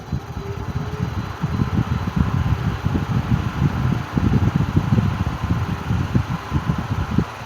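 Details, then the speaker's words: 1950s Wizard hassock fan on low speed: low, uneven rumbling churn under the airflow, suspected worn or dry motor bearings; motor slightly seized on low and stops quickly. "let's knock down the video and as you can hear it does have a little noise to it sounds like bear it sounds like bearing noise"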